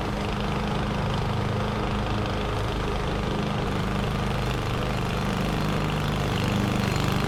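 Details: 21-inch Husky push mower (11A-B2M7031), Powermore OHV engine, fresh oil, started first pull: steady, even drone holding speed under mulching load with grass swish; no misses or knocks, running healthy.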